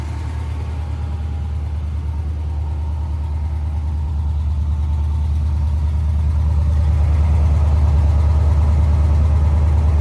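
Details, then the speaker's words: 1992 GMC Sierra 3500HD dually restoration truck idling after a new fuel pump, fresh gas and a disabled alarm system; deep, steady rumble, even beat about two per second, building slightly, smooth: normal idle. "All right. So, we now know it runs under its own power. Just needed a fuel pump and of course, you know, disabling the alarm system that was in it."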